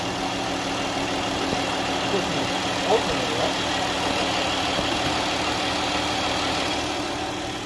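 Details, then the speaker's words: 2012 Chrysler Grand Caravan 3.6L after replacing the internally shorted alternator: even, steady idle with no flywheel scraping or rubbing; the noise is gone. "and now it's no longer is doing what it was doing before and the sound was uh Rock in the flywheel"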